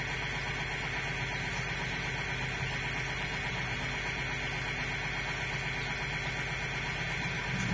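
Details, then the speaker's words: Peristaltic pump for thick mash, set to the maximum rpm at which it runs stably without motor encoder blocking, moving about 308–310 L/h of water: steady even hum, constant pitch, no knocks or stumbles; normal at full speed. "также я выставил сейчас сразу обороты максимальные при которых он стабильно работает без блокировки энкодера двигателя"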